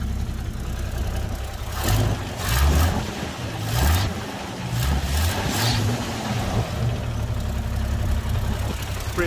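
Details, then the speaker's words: Toyota Land Cruiser FJ60, rusty beach vehicle, first start: even idle with a couple of throttle blips rising and settling cleanly, no knock or miss; exhaust seemingly broken somewhere but the engine sounds healthy. "the exhaust seems to be broken somewhere but it does sound amazingly healthy"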